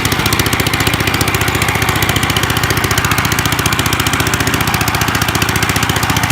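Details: 1955 Gravely Model L single-cylinder, sat about five years, points cleaned, started in two pulls, mid throttle, neutral: fast, sharp, very loud unmuffled popping from exhaust broken off at the engine; ran half-choked, owner suspects carb needs cleaning or needle opening.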